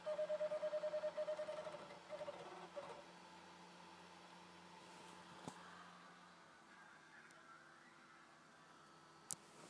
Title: Xbox 360 slim strange noise when reading disc